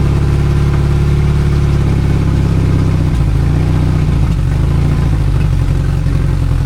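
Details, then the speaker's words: 2002 Yamaha 90hp outboard, sat two years, after reassembly (compression earlier cylinder one 95, others 125): steady idle at 800 rpm with a brief stumble; idle hiccup, owner suspects a carb screw needs adjusting. "So, I got it idling to spec right now. It's a 800, but there's a little You can hear that there's a little hiccup."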